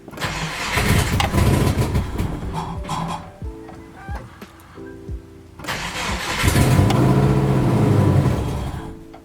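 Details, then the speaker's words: Subaru Forester, first start after engine reinstall (oil separator plates, new clutch, oil pan, mounts): catches twice, revs unevenly with wavering hunting idle; sounds like a vacuum leak, traced to a part installed wrongly. "alright so I'm guessing something's a little weird we're gonna go and check things after listening to it again and again sounded like there was more of a vacuum leak than anything"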